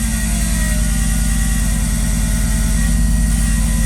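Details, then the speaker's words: Audi B8 A4 big-turbo build on its first start after the work: a loud, heavy, rough drone with a coarse beat of about three per second. The noise is horrific; the owner believes he knows the cause. "yeah okay so you probably heard that very horrific noise sounded awful to begin with but i'm pretty sure i know what it is"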